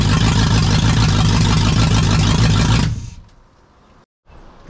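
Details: Jeep KJ with a swapped Lexus UZFE V8, started through a push-start kit after the SKIM immobilizer was deleted. The V8 runs strong and revs cleanly for a few seconds, then shuts off. Normal running.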